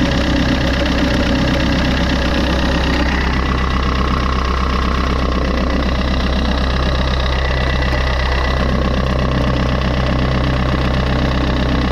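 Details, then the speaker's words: Fiat 500 bought with hidden defects, about 20,000 km, at idle; even beat of about four per second with a dry scraping rasp on top. Owner suspects the rusty alternator bearing, or possibly the timing chain. "je trouve que c'est quand même bien rouillée et tu vois donc ça se pourrait que ce soit le roulement donc après je vais mettre en route et puis je vais écouter déjà"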